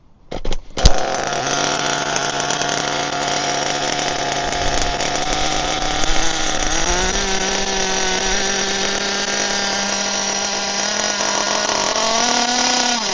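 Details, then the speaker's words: HPI Firestorm nitro RC truck after fixes for stalling when braking: the engine catches and buzzes, pitch stepping up with throttle, and it no longer stalls when the brakes are applied; running normally. "let's get it going again but when I applied the brakes it didn't stall"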